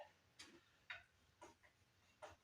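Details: 2004 Monte Carlo SS with the supercharged 3800 under flywheel/flex plate repair and gasket changes: with the engine off, light irregular ticks about twice a second as the drive is spun by hand; source uncertain, not confirmed.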